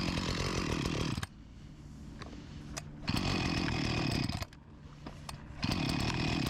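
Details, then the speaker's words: Husqvarna 254 G chainsaw, after fuel line replacement, before carb membrane and tank cap O-ring renewal: runs hard, drops to a weak faltering idle, then surges again twice in six seconds; starving for fuel. "It starved for fuel"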